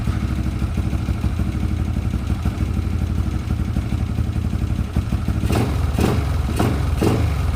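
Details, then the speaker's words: Yamaha LC135 after refitting a racing coil and plug, unstarted nearly a month: steady, even single-cylinder idle with no misfires, then a few handling clicks. Starts easily, running smoothly. "Api dah ada. Masa ni dah hampir sebulan tak start. Alhamdulillah, senang hidup"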